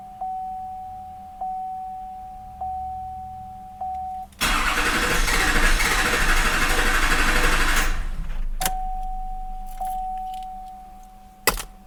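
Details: 2006 Chevy Silverado HD 6.6 Duramax LBZ, Allison 6-speed, 4WD, fuel system already re-primed: a chime, then about three and a half seconds of steady starter cranking that never fires; crank no-start, seems to try, cause unknown.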